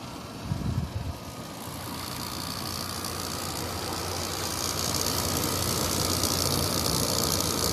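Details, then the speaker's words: Kenmore PlasmAire low-profile 6000 BTU air conditioner with LG compressor, curb find, in cool mode; steady compressor hum and fan rush with a light quick rattle growing as it settles. Owner suspects the panels rattling. "there's cool what compressor's running a little bit of a rattle going there that might be the panels rattling"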